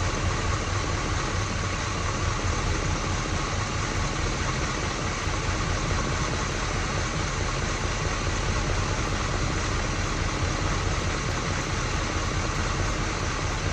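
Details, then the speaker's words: 1979 Pontiac Firebird V8 after QuadraJet carb rebuild and new distributor, setting ignition timing: deep, smooth steady idle with no misses or lumpiness; best idle found, distributor to be tightened at this timing. "Right there to me sounds like the best that it's idled at. So guess what? That's what we're going to tighten it."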